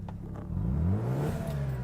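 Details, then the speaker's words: 1995 Mazda RX-7 Type R Bathurst Edition, turbo with turbo timer, hot start: short smooth rotary blip, rising cleanly and settling with no knocks or rattles; fires right up, mechanically sound, though exhaust a bit extra smoky and needs a tune-up. "Okay, so no troubles hot starting this one. Looks like it fires up right away, which can be a problem with the RX-7s. Looks like mechanically this one is in good shape."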